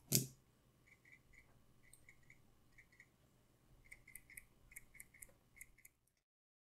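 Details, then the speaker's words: Another automatic watch shaken by hand, quieter than the Seiko SKX: faint light clicks in short clusters from the winding rotor; normal rotor play, heard more than felt. "it isn't as loud as with the seos but you can still hear it but you don't feel it as much in your hand but you can hear"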